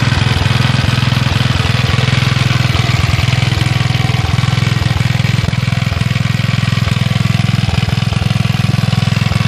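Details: Villiers Mk 12 stationary engine running on gas after a primed start and one misfire: even, steady low thumping at roughly 140 beats a minute with no skips. It is running cleanly.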